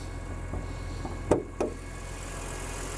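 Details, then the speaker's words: BMW Z4 M roadster, S54 engine, about 17 years old, idling: steady light even ticking with a couple of louder knocks; normal injector tick from the top-mounted injectors, with maybe slight timing chain noise. "that's basically the injector tick underneath cuz those injectors are right up on top of there so the injector really uh being the loudest thing in this engine doesn't concern me"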